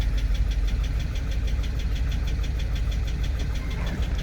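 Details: 2006 GMC Sierra 2500HD brought in with engine knocking, headed for the junkyard, owner plans a crank sensor: deep idle with a steady, fairly uneven knock about three a second, pointing to a worn bottom end.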